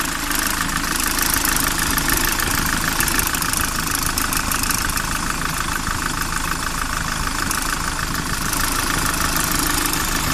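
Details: Unidentified extraneous engine noise on a SsangYong Kyron at steady idle: rough, fast irregular ticking of about three per second over the engine; cause not yet determined.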